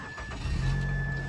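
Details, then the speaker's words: 2005 Mazda 3 2.3L: brief crank catches at once and settles into a steady low idle hum; starts quickly and sounds healthy. "two three starts right up"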